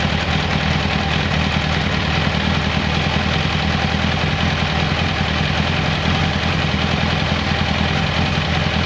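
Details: 1994 Kawasaki Concours ZG1000 (GTR1000) four-cylinder, after carb cleaning, new air filter, cleaned airbox, oil change, tank off: smooth even idle with steady low throb, no ticking, knocking or misses; healthy normal idle.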